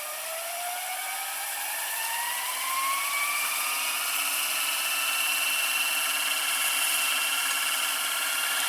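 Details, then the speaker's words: Early-1990s Toshiba M659 VCR fast-forwarding: light airy whir rising in pitch then holding steady and smooth; fast-forward is quick and the idler sounds normal. "it's fast-forwarding into pretty good speed it's very fast for early nineties VCR like this the fast-forward"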